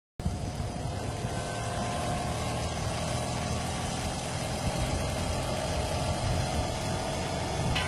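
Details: Motorcycle engine ticking over with a rough, clattery rattle riding on the exhaust note; abnormal engine noise, source not pinned down.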